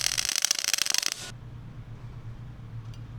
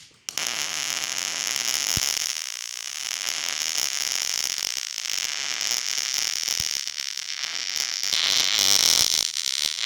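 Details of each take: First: Millermatic 211 MIG welder with ER70S-6 .030 wire: harsh, uneven popping and stuttering arc, not the sizzling-bacon sound of a good weld, because wire speed is too fast or heat too low. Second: Millermatic 211 MIG welder with ER70S-6 .030 wire, settings made hotter after the wire speed seemed too fast or heat too low: steady crackling hiss like sizzling bacon, a properly set weld.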